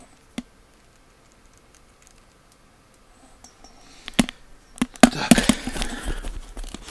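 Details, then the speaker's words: Xiaomi LYEJ02LM Bluetooth headset, defective and not pairing: quiet, then light loose clicking and rattling when shaken or when the head moves, as if a small part or screw has come loose inside; internal rattle, suspected. "я немножечко дёргаю головой я сразу слышу этот шум такое ощущение что там то ли какой-то болтик внутри отвалился"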